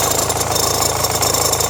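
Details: Renault Megane 1.5 dCi diesel at idle with radio, rear window heater and blower on: busy, rapid metallic rattle over the clatter; belt and tensioner already replaced, noise stops with AC on; owner suspects alternator or AC compressor.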